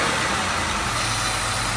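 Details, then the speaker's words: 2003 Ford Taurus 3.0L 24-valve DOHC with code P1506 (IAC can't control idle): cold idle far too high at about 2,000 rpm with a steady airy hiss, a vacuum leak through the PCV system. "right there we know the idle is way too high about 2,000 RPM it is cold but it's too high"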